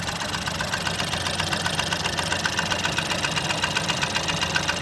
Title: Fiesta 1.0 ecoboost engine knocking